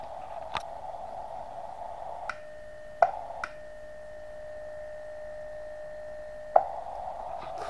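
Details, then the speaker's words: uSDR/QCX-to-SSB 8-band QRP HF SDR transceiver on CW transmit: steady high whistle around keyed tone with sharp clicks at key-up/down squealing through loudspeaker; one of several faults, output measured up to 8 W on battery. "when you transmit you get horrible noises out the speaker on cw mode which you would expect"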